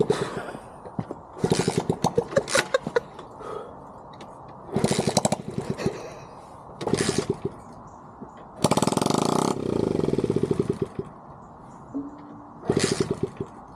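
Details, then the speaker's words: 20-year-old Dax with exhaust removed, after fuel tank replacement: repeated raw cranking bursts with brief sputters that never catch; not starting from lack of fuel due to a badly clogged carburetor. "I had to remove the exhaust while working on the fuel lines and the tank, which is the reason it sounds like this. The reason it's still not starting at this point is because there's not enough fuel going into the engine, which is caused by the carburetor being clocked to hell."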